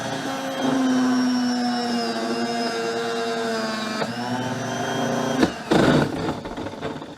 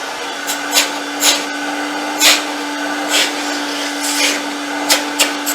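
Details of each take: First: Myteelite II 8070 carpet extractor, nearly 10 years old: vacuum motor gives a high whirring, wavering, rough, uneven-pitch sound; worn vacuum motor, to be replaced. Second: Myteelite II 8070 carpet extractor after repair: steady, even hum at constant pitch under some handling clicks; vacuum motor runs smoothly, repair fixed.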